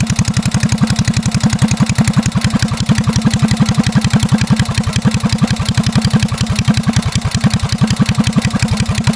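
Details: Restored Hornet mini bike, small single-cylinder engine, started with a little choke before a test ride. Steady, even putting beat with no knocks or misses; runs clean and healthy.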